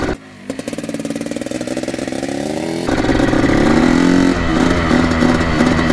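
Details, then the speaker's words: 1984 Yamaha YZ 490 two-stroke, choke off, first test ride; rapid popping climbing slowly, thick and muffled as throttle opens, boggy response; cause not confirmed. "you can hear a pretty dank boggy I'm pretty scared of this like already think feel this is just a ginormous bike pretty dang foggy"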